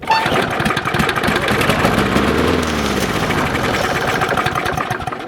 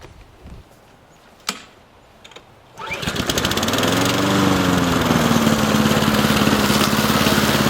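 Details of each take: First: Old Briggs & Stratton 6.5 OHC lawnmower left outdoors all winter, pull start after priming: single cylinder catches, runs rough a few seconds, then fades and stalls; cause unconfirmed. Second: Old Briggs & Stratton 6.5 OHC lawnmower, left outside all winter: cranks and catches within a pull, then a steady, even single-cylinder drone with no misses or hunting; normal running.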